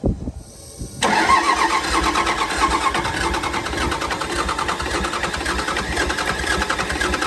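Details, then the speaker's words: Cummins diesel burnout truck, sitting a while; injector line cracked loose as air in fuel suspected; after cranking it catches then runs rough, lumpy, stumbling, choking out on throttle: hard start and stumbling, cause unconfirmed. "chokes it out whenever I hit the gas let me try to sound super happy yeah it doesn't sound real happy"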